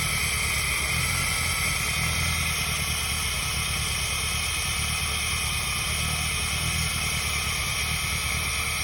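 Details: Peugeot 106 engine at idle: steady idle with rough low pulsing and constant hissy clatter on top; abnormal engine noise, cause not pinned down.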